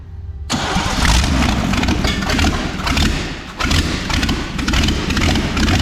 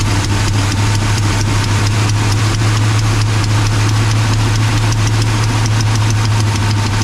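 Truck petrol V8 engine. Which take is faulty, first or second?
first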